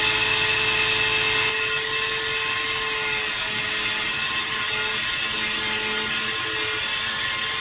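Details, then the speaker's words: DIY key cutting machine while cutting: shrill, wavering high whine with pitch sagging and dropping out unevenly; owner thinks the drive belt slipped and stretched because parts weren't tightened down, not confirmed. "make sure everything's tightened down because that's what happened to the belt it slipped and uh that's why it's making that noise because i think the belt's stretched"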